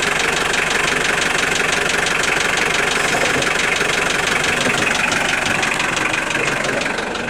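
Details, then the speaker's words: Engine at idle: a sharp metallic knock about three per second sits steadily over the idle; it sounds like a rod knock, but the connecting rods were checked and ruled out, so the internal knock's cause is unknown. "Стук похож на шатунный, но это не шатунный нифига, потому что шатуны я себе скрывал, смотрел."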